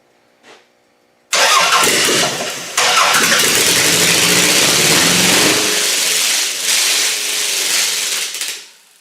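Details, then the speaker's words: Car with a newly fitted GM distributor catches and runs loud and uneven, surging and sagging as it settles. It is rough running; the owner says it runs but still needs its ignition timing set. "I say that's running. Just needs timing now."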